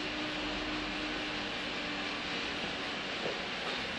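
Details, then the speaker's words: Water mill wheel driving a permanent magnet generator through a step-up gearbox at about 106–110 V, 1.6 A: steady mid-pitched gearbox whine over heavy rushing water noise. "you can hear that gear box whining warm right is that resist to getting warm"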